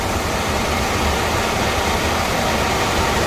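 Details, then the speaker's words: Home HVAC furnace blower after the blower wheel was replaced to cure a screeching and scraping noise: steady, even whoosh with a low hum and no screech or scrape. The new wheel runs smoothly. "runs well no horrible noise"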